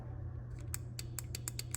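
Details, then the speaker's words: 2023 Kenworth W900L second fuel pump relay plugged in with the key on: a low electrical hum, then a string of sharp clicks; the relay switches properly. "we got a click so this relay works"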